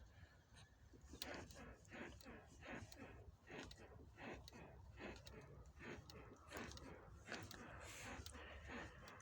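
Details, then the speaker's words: Lada Granta, rear of the body rocked by hand: faint squeaks repeat a little over once a second following each push; a rear suspension squeak, with the rear strut support bearings suspected, not confirmed. "так обнаружил что вот допустим Если упереться руками сюда и покачать машину сейчас послушайте какой будет звук"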